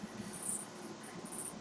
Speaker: if you hear that little squeaky noise one of the fans of my computer's actually dying so it's gonna have to wait I guess